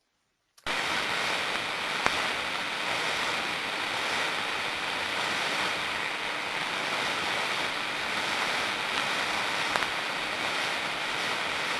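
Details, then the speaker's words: 11 kV to 400 V liquid-filled transformer, Brisbane, contact ultrasound module on high-voltage side, 30-second recording: steady hiss with sharp crackling snaps at about 1.5 and 9.5 seconds, early partial discharge arcing as insulation begins breaking down. "when it comes to arcing in its very early stages the arcing may not be frequent in its discharges but it still could be present and this is at the very early stages where insulation systems begin to fail"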